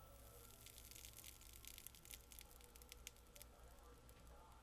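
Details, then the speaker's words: Sony KV-13VM42 TV being powered down: faint fizzing crackles fade away over a thin steady tone. Normal high-voltage discharge crackle, showing the flyback has a discharge resistor. "as I power this unit down you can hear the crackle of the high voltage fade away and that tells me that this flyback has a discharge resistor in it"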